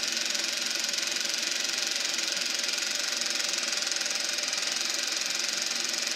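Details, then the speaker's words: Eberspacher B1 gasoline heater for a VW Beetle, bench test fire: only a steady airy blower hiss with no combustion roar; flame went out while the fan keeps spinning, cause unknown; battery charger suspected of issues. "Now it sounds like the flame went out. I think something went wrong. I don't know what."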